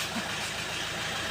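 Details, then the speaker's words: 2017 Mitsubishi Strada 4D56 common-rail diesel, after water-contaminated fuel, tank cleaning, injector repair and bleeding: steady even idle clatter with no misses; hard-start problem solved. "So start natin. Andandar na ito. Yan. Yan ayan. So umandar na guys."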